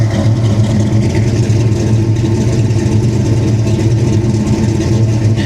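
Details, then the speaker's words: 1994 SN95 Mustang GT, supercharged 347 stroker, previously submerged in salt water, with battery overcharging issue: deep steady firm idle rumble with supercharger audible, no misses or knocks; a squeak heard from the engine bay after. "Nasty. That's how it sounds. Sounds nasty. In a good way."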